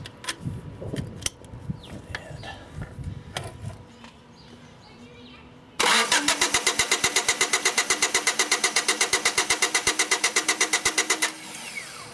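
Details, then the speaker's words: 1993 Honda Accord, intermittent hot no-start: starter cranks evenly at about four beats a second for five seconds but never fires; gauge on the fuel pump test port shows no fuel pressure, bad fuel pump. "All right, and as you can see, we have no fuel pressure. So with no fuel pressure, I'm not going to bother checking the fuel injectors. I'm going to go after this fuel pressure issue."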